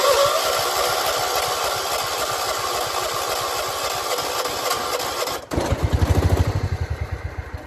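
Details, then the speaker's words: 1976 John Deere 300 hard start in the morning, battery dead and jump-started, owner says it has gas; rhythmic starter chugging about three pulses a second that never catches; cranks but won't start. "Almost, come on. Why ain't you starting? Got gas."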